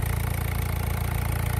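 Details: Peugeot/Citroën 1.6 HDi diesel idling steadily with an even low rumble and smooth regular beat, no misses or knocks, after fixing blue smoke and unstable idle by retightening a loosened injector.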